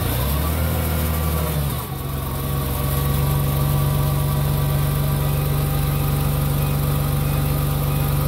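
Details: Truck that previously would not start because of excessive fuel delivery, now started after a new fuel vaporizer was fitted. It cranks, catches near two seconds and settles into a steady, even idle with no misses. Normal start and idle.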